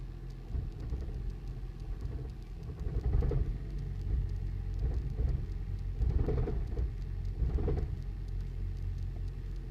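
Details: 2008 Toyota Prius at start-up: rough, shaking idle with irregular heavy knocks about once a second; it recurred on restarts and the check engine light came on by the third start.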